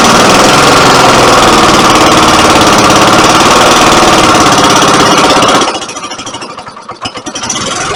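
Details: Rare 1950 Briggs & Stratton NPR-4D engine, freshly filled with oil and gas: loud, fast, even popping beat about 220 a minute for several seconds, then it fades and stumbles as it dies; cause suspected, not confirmed.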